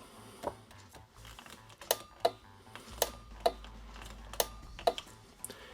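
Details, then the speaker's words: Razor E150 scooter, 24 V 150 W motor, after lithium 7s3p 18650 battery upgrade, throttle twisted: sharp dry uneven clicks about every half second, no motor hum; controller relay suspected. "now the noise you're hearing when you tried to throttle was sounded like a relay you could probably open up the controller get the number of the relay and replace it"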